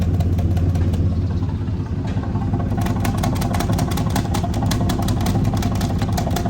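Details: 2004 Ford F-150 5.4L, ignition timing verified correct on a scope, at idle at the tailpipe: steady, even beat with only light flutter at the outlet; this bank is healthy, while the other side's hard paper suck makes the owner suspect a bad valve.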